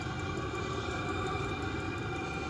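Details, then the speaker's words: Vevor 5K 12-volt diesel heater running in a trailer with no exhaust muffler and a small diesel drip at the bung: a steady, even rushing roar with a low rumble and no pulsing. It runs normally, just loud without the muffler. "do I need a muffler I'm undecided that's high but I don't"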